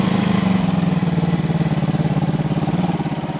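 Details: 1974 Honda CB360 twin on test ride after number two carburetor fixed: pulls with a smooth, even beat, no stumble or flat spots; normal running.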